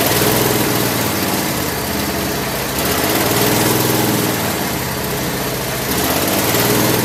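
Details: Craftsman lawn tractor after no-start repair with new carburetor parts including float needle valve, idle over a year, full gas tank, warming up: steady, even single-cylinder putter with slight rhythmic rise and fall; normal running.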